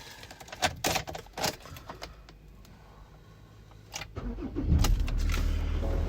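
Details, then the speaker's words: 2019 Ford Ranger 3.2 TDCi 200 Limited auto 4x4, 36,000 miles, full service history: keys rattle, short crank, fires straight away and settles to a steady even diesel idle with no knocks; no warning lights, normal start. "Start straight away, no issues, drives great. Like I said before, you know, I used it when it first arrived and it drives great."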